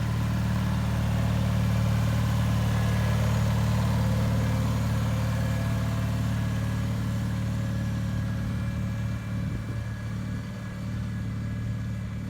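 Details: 1974 Bolens HT20 garden tractor on test run after replacing a coil burned out when the ignition was left on after a stall (fuel issue suspected): smooth steady low drone, even beat about three pulses per second, no stumbling; running healthy.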